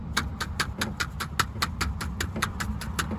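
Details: Jeep Wrangler TJ door, trim removed, window crank regulator shaken by hand before greasing: sharp, tinny clicks about five per second, the dry regulator cables rattling on bumps; greasing the cables cured it. Window regulator rattle.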